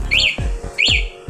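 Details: MAS anti-theft alarm on a GPX Drone motorcycle, locate-vehicle button pressed: two bright rising-falling electronic chirps about 0.7 s apart, the alarm answering normally.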